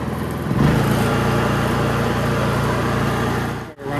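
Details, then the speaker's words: Honda EU3000is inverter generator on gasoline with full choke, test-run after fitting a Nashfuel propane conversion venturi plate to the carburetor with the gas line plugged; steady, even low hum with no hunting, just a brief dip, running normally. "Sounds good."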